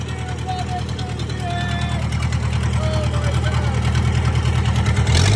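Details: 1998 Gehl 4625 skid steer 4-cylinder diesel, first start after self-rebuilt injection pump, new injectors, filters and fuel tank, glow plugs used: settles into steady even low chug with clean firing beat, no misses or knocks; runs healthy.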